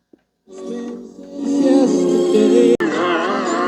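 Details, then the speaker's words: Philips AZ1505 CD Soundmaster boombox (c.2000), cassette playing John Denver after 1.5 songs: playback wavers and sags in pitch, notes wobbling slowly and sounding like melting; wow from worn cassette drive belts needing replacement. "Okay, we got through 1.5 songs and Rocky Mountain High sounds like it's melting. So yes, definitely belts."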